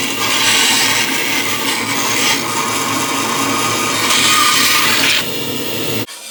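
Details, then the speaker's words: 1930s 36-inch Oliver bandsaw resawing a board to thickness against a clamped straight-board fence: steady hiss and whir of the blade through wood with even feed for about six seconds, then it stops cleanly; normal operation. "and then I just bring this to the thickness that I need and I run them through and away we go"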